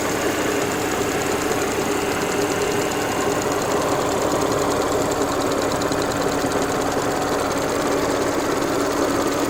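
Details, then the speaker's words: Warm idle of an Audi S4 B8 after about 15 minutes of hard driving, following an oil change to Pentosin 5W40 HP2: steady even idle with light mechanical clatter and some noise from the front left; earlier rattle gone, normal. "Alright, this is noise after driving for about 15 minutes. At least pushing it pretty hard."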